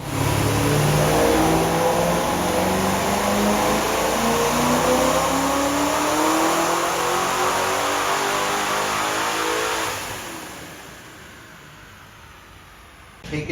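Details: Supercharged C5 Corvette Z06 with extra timing added: pitch climbs smoothly through a long full-throttle pull, then drops as throttle closes, clean with no misses; meth pump not working and fuel pressure dropping up top, slightly rich.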